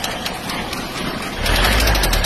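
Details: Diesel engine before repair: sharp metallic knock about four times a second over idle, louder as revs rise; worn rod bearings, fixed by crankshaft regrind, new bearings, new connecting rod, piston, rings and relined cylinder.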